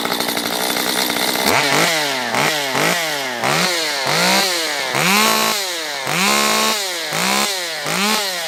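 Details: Stihl MS194T chainsaw after fuel-issue no-start fix, carb richened on low and high within limiters, warmed up: snaps to high revs and drops back about every 0.7 seconds, crisp even throttle response; normal running.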